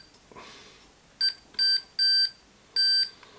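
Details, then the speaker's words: 1958 Murphy V350 portable television, continuity tester clipped between chassis and a mains plug pin before first power-up: four short, uneven beeps with gaps instead of one steady tone, so the continuity is intermittent and this pin isn't neutral; plug must go the other way up. "okay so that's beeping intermittently so that isn't the neutral connection i've got so it does go that way up so we've got to remember to put the plug that way up"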